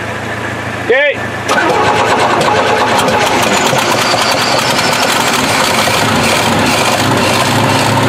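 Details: 1968 Chevy truck unrun for 15 years, points cleaned, gas poured in, with a massive exhaust leak. It cranks briefly, catches and settles into a steady, even run with no knocks or misses.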